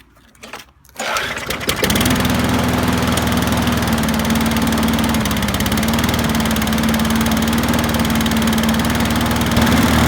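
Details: Qualcast rotary mower after carb gasket and diaphragm replacement and new Torch spark plug: after a few pulls catches and settles into a steady, even drone, no surging or misfire; oil burning off after tipping; runs normally.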